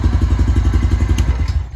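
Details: Honda TRX350 Rancher quad, possibly early 2000s, after carburetor cleaning cleared a clogged pilot jet, on an auxiliary fuel cell: even single-cylinder thumping at about twelve beats a second, steady with no stumble. It now idles cleanly without choke.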